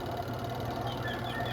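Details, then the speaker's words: Spin dryer of a beltless washing machine, loaded with clothes, spinning with a smooth, even low hum; the customer's creaking from the spin dryer is gone after repair. "Spin natin. Ayan. So wala na yung langitngit guys."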